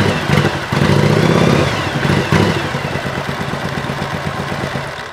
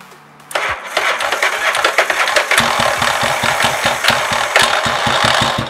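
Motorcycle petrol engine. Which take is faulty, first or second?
second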